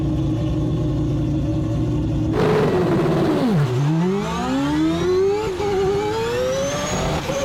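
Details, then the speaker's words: AWD turbo 4-rotor rotary at launch: it should hold 6,000 rpm but drops to 4,000 as boost starts building. The note sags sharply and bogs, then recovers and climbs. Launch rpm drop, cause unclear. "It's supposed to launch at 6,000 RPM. And then as soon as it starts building boost, it drops to 4,000,"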